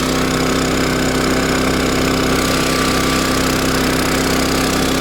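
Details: Champion 3400 watt dual fuel generator at high idle, before fitting an exhaust tube extension: loud, steady engine drone with an even beat and no knocks, misses or surges; running smoothly.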